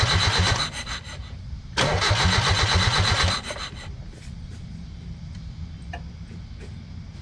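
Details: 1995 Mazda Miata with a no-start problem, valve cover off: starter cranks in two bursts at about three beats a second, then goes quiet, engine never catches; spark confirmed at the coil pack, fuel and timing still to check.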